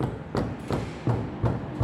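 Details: 2015 Mercedes A200 front suspension arm rocked by hand: repeated dull knocks, about three a second, from play in the steering rack.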